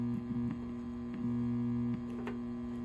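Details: Krohn-Hite 3202 filter with suspect Sprague 500 uF 25 VDC can electrolytic filter capacitors; steady low mains buzz with overtones that swells then settles as a 100 uF non-polarized cap is paralleled; mains hum from failing filter capacitor.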